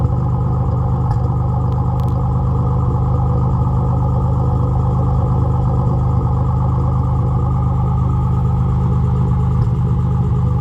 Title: Z31 300ZX misfire before top end rebuild